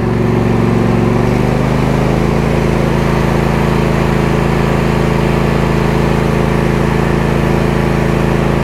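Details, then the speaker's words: Cub Cadet GT2 LX42 22 hp twin lawn tractor after new ignition coils (one was shorted) and fresh fuel: even steady drone, no stumbles or cutting out, both cylinders firing. Normal running. "just to show you that she's running properly now no more weird cutting"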